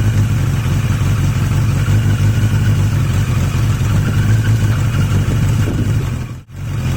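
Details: Yamaha XJ750 "Mack" left idling for a few minutes after a carb swap using the XJ650's carbs; a steady, even low idle with smooth firing and no misses, all four cylinders pulling; owner suspects some air-fuel mixture issue.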